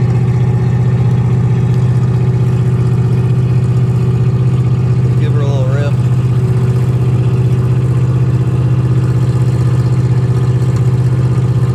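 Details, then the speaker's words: 1963 Oldsmobile 88 survivor, running after gas poured down the carburetor: loud, deep, open rumble at steady idle with no muffling; muffler completely blown out, exhaust needs replacing. "muffler's blown out completely on this thing so uh definitely going to need to do something with the exhaust it sounds badass"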